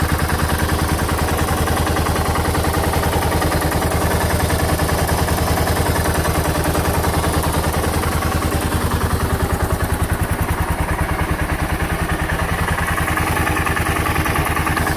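A big single idles with a heavy, steady knock of about three and a half beats a second. Cause suspected, not confirmed.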